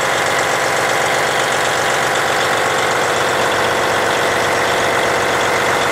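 A steady diesel idle with an even, light clatter and no misses, knocks or squeals. The engine is healthy.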